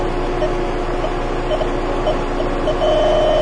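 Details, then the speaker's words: Car AC refrigerant leak test, engine running so the compressor builds pressure: electronic detector's sharp high beeps, about four a second, quicken and merge moving closer to the leak; still detects residual refrigerant, less sensitively, with engine off. "hopefully you can hear it beeping and indeed as I get closer to where that week was"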